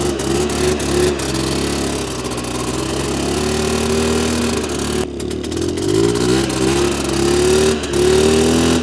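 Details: 2001 Polaris Xplorer 250 4x4 two-stroke quad in high range, on straight gas with oil injection working and some smoke, after earlier bogging: crisp revs climbing cleanly, no bogging, music over it; full power.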